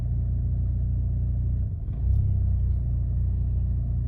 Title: 2008 Chevy Malibu rough idle/ acceleration 👨🏾‍🔧#shortvideo #carproblems #chevrolet ￼#mechanical